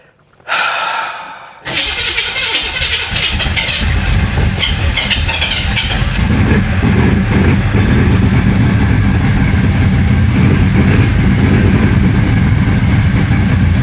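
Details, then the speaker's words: Flooded 1966 Chevy Impala V8 after full fuel system replacement: catches and runs uneven and lumpy with an unsteady beat, no clean idle, then dies; runs no better than before the fuel work. "well it's running it ain't running any better than it did before"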